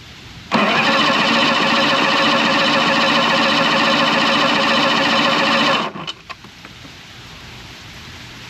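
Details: Outboard motor in neutral with warm-up lever slightly forward, neutral safety switch lead disconnected: starter turns engine over at even steady beat about five seconds, never catches; crank no fire, later traced to a bad battery.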